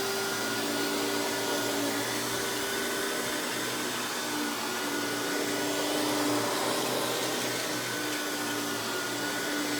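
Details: Hoover PowerMax Supreme 850 S3609 1990s canister vacuum, non-original hose, high speed with power brush head running: steady even motor roar at constant pitch, no rattles, scrapes or surging; runs very smooth though not the quietest; normal running.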